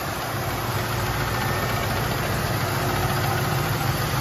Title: AMC 360 tapping noise. 1984 Jeep Grand Wagoneer